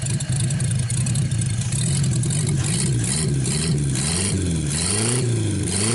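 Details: 1949 Buick straight-eight, first start in years, restarted after cooling down and refuelling: smooth even idle with several clean throttle blips, revs rising and falling evenly, no misses or knocks; runs really good.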